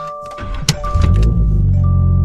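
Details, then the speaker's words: Toyota GR86 at startup after a seatbelt-chime reset attempt (electronics on 20 seconds before starting): clear mid-pitched electronic chime in short repeated tones over the engine rumbling up; the normal startup chime still sounds. "so it's still beeping like it would normally for it startup"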